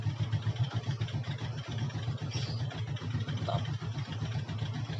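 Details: Yamaha Jupiter MX: small single-cylinder engine idling and blipping up cleanly, picking up without stalling or spitting; fuel delivery now healthy.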